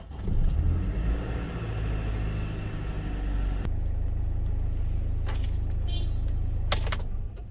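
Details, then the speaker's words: Mercedes Sprinter after replacing the electronic steering lock and the relays, codes cleared: key turns and the engine catches instantly, settling into an even deep idle with no hesitation; normal start, no fault codes. "so I'll do that again starts up instantly perfectly this time and there's no fall codes or anything of that sort anymore"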